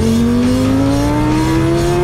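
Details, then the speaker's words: Kawasaki ZX-6R 636 just finished after a rebuild, ridden: clean engine note climbing smoothly as revs build, no rattles or misfires; normal running. "here it is all finished and done right good nothing unusual about it"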